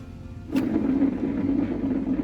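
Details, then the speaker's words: Cub Cadet SLT 1550 with 52-inch triple-blade deck, hand-spun middle spindle: coarse, uneven low rumble instead of a smooth whir, unlike the much quieter other spindle. The bearing is shot; the spindle is being replaced with a new one. "the middle one is the bearing is pretty much shot didn't tell hell to hit a sound it's definitely not smooth versus this one it's a lot quieter"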